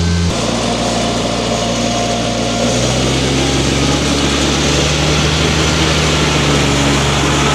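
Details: John Deere F925 mower after the electric clutch and rear main seal were replaced and the belts tightened: steady drone with an even low hum at a constant pitch, no knocking or slipping; healthy.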